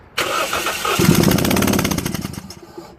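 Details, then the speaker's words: 2001 Toyota Yaris 1.3 petrol, P1310, tampered ECU plug wiring: starter spins quick and even about two seconds but never catches; at key-on only cylinder three's coil sparks, yet no spark while cranking. "let's gonna try to start and see if we carry-ons now it doesn't have you seen there's no spark in there at all"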